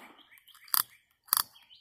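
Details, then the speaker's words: Sand-caked, corroded Abu Garcia 7000 i C3 baitcasting reel before teardown and cleaning: three crisp bursts of quick even ticking about half a second apart; clicker working properly. "click it works a"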